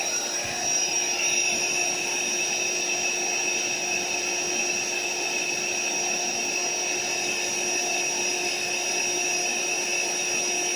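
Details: AeroBed Deluxe Raised double air bed, built-in electric pump inflating it slowly, pinhole leak suspected near the bottom: steady, even high-pitched whir and rush of air, no surging or stalling; pump inflating normally.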